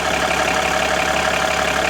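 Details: 2013 Jeep Grand Cherokee 3.0 CRD V6 diesel idling smoothly with a faint steady hum and no pump groan or whine, after electric power steering pump replacement and bleeding; wheels on floor, system seeming to stabilize.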